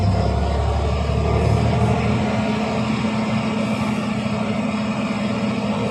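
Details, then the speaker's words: Fendt 936 Vario tractor with Deutz diesel, hot, under load at about 1500 rpm. A heavy drone with an uneven beat and dropouts, vibration felt through the cab floor; a cylinder or injector is suspected, fuel system implicated: diesel misfire under load. "а такое ощущение как будто цилиндр перестаёт какой-то работать отказ Трои какого-то цилиндра Да происходит"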